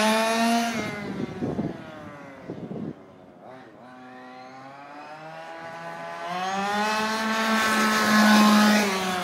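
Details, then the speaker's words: Fifth-scale RC two-stroke engine deliberately leaned past tune on the carburetor: revs up and down with crackling, popping between revs; engine is drying out, not getting enough fuel. "popping and planing what's happening is the motor is what we call drying out that means it's not getting enough fuel"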